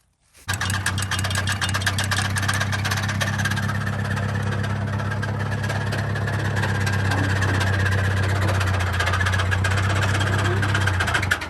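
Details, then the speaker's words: Massey 50 tractor with Continental Z134 engine, knocking with heavy blow-by after seeming to overheat while bush hogging: heavy regular knock about three per second over rough idle from inside the engine; owner suspects a spun bearing, cause unconfirmed. "That is definitely coming from the inside of the engine. I've never heard anything like that. It must have spun a bearing or it did something."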